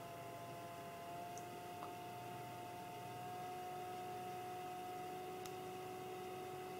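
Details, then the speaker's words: Dell Alienware AW2725Q OLED monitor during the menu fan test at setting 2, full speed; steady high-pitched whir with no rattle, louder than under normal conditions in a 23 °C room; cooling fan at full speed. "takhle hlasitý v normálních podmínkách není, když mám v místnosti 23 stupňů, ale umí se až takhle rozparádit. Šílenost."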